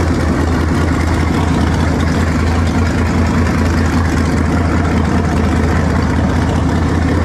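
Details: Engine after swapping to a 2-barrel carburetor, vacuum port patched and taped, choke nearly open while warming: deep idle rumble, mostly steady but slightly lumpy and uneven. Runs much better but fuel mixture still seems off; slight smoke noted.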